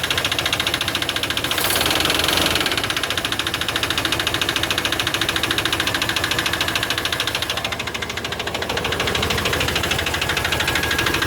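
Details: Chevy 350 5.7 L after intake manifold gasket replacement, idling: sharp fast ticking knock about three per second over steady idle; attributed to low lubrication in the valvetrain.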